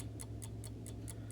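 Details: Vintage Coca-Cola electric rewind clock, reassembled in its case after replacing the failed mainspring rewind motor: crisp, even ticks about four per second over a low steady hum; movement running normally.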